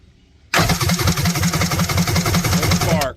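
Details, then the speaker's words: Kawasaki 1100 STX jet ski, plug grounded on engine: steady cranking chug about three beats a second that never catches; middle cylinder dead with no spark, spark plug wire not threading properly, coil also suspected. "so we've got a no spark condition on that middle even with this threaded"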